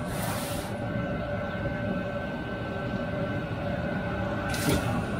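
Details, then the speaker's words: Cheap eBay Chinese 5 kW diesel air heater, newly installed, warming up: unit's internal temperature at 90°C and rising fast, ambient 19°C. Steady low hum with constant fan whir, no sputter or surging. Normal running. "just starting to warm up now now that is the temperature of the unit is up to 90 degrees we actually internal temperature as you can see that's going up fairly rapid"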